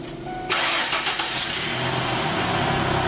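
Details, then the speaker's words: Ford E250 van with 4.2 engine that runs rough: cranks and catches, then lumpy, stumbling idle worsening on acceleration; one cylinder misfiring because its injector isn't delivering fuel. "hear the misfire clearly got a misfire"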